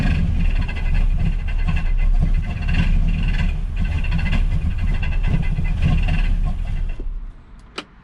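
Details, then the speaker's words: 1967 Ford Galaxie 500 with 289 V8, first start after WD-40 was sprayed down the cylinders: a loud, rough scrubbing racket rides on the engine note. The water pump pulley was rubbing; it was fixed by shaving the pulley and reinstalling it. "Could you tell what that racket was? Couldn't tell exactly, but it sounds like resistance on something scrubbing."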